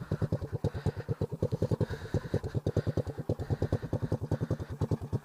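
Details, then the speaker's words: Honda ATC 185s single-cylinder three-wheeler, described as very cold-blooded and slow to warm, at a warmed-up idle after new rear brakes and full synthetic oil. It gives a steady, even putter with quick regular firing and no knocks or misses: normal idle. "Should be warmed up enough to idle, so. It's a very cold-blooded three-wheeler. It takes a long time to get warm, but"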